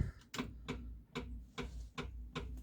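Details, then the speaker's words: Morris Minor 4-door, ignition turned on with a new ignition barrel and a jump pack replacing the flat battery, engine off: sharp regular ticks about every 0.4 s as the electric fuel pump primes; working normally. "Pump's making a noise."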